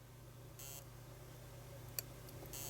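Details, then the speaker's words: Xbox 360 with red ring of death, after capacitor change: a steady low electrical buzz with a few brief high chirps coming from the board, though it has no speaker; cause unknown. "any of these hot no no there's a buzzing going on there"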